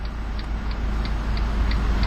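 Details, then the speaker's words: 2012 Fiat 500C Lounge (1.4 MultiAir four-cylinder) at idle with lights, fog lights and hazards on; steady light ticking about three times a second, evenly spaced, so the hazard flasher works normally. "Now let's go ahead and turn on the lights, as well as the fog lights and the hazard lights."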